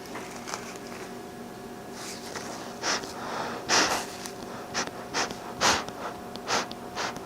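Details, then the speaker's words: RZ filter mask after reassembly with silicone exhale valve: soft breathy puffs about once a second with light papery flutter as the valve opens; exhalation valve working normally. "i don't know if you can hear the i don't know if the mic is picking up the flapping but"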